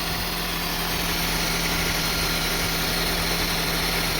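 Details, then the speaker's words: 2002 Honda CR-V 2.4L with a rough idle and hunting RPM: with a sensor unplugged (check engine light on), it holds a steady, fast but smooth idle with no hunting. "See, now the engine is running, but in high RPM. But it's running smooth. But at least RPM is not up and down after we remove this one."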